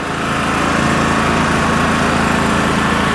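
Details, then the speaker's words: 3000-watt dual-fuel generator with a freezer plugged in: engine briefly feels the load draw then picks it up, droning at steady even speed with no surging or misfires; running healthy under load. "if you notice when uh I pulled that out and or when I plugged it in that the the engine idle so it felt the draw but it picks it up just fine"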